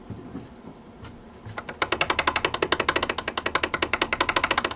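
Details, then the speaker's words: Honda Civic Ferio (ES1) old steering rack before replacement with a used contract rack: rapid sharp knocks, about thirteen a second, from the rack gearbox as the steering wheel is worked back and forth; worn steering rack knocking. "на старой реки у нас получается вот в этом же месте в редукторе стук сейчас покажу что если у кого такой же достаточно неприятно слышно хорошо просто рулем"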